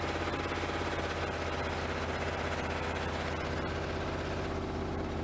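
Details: 1988 Pontiac Trans Am GTA, fuel pump just replaced, on a cold start: lumpy, uneven low thrum at idle with a rapid irregular pulse of about four beats a second; it stalled earlier and won't catch under load, owner suspects air or fuel rather than spark; rough cold idle.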